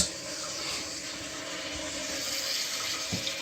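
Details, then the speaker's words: 30-year-old Kohler toilet with new Fluidmaster universal repair kit, filling while checked for leaks: constant hiss of water rushing into the tank, no sputter, chatter or hammering; fill valve filling cleanly. "let this fill up flush it test to see and how it works all right so we have successfully filled up the toilet"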